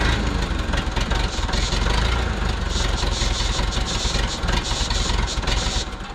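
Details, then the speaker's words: 1968 Case 580CK backhoe, 188D diesel, rebuilt after rain seized it; it has oil pressure; loud, uneven, lumpy diesel clatter, running rough and missing on one cylinder; cause not confirmed. "It runs this. It's missing on one cylinder for sure. It's not running well."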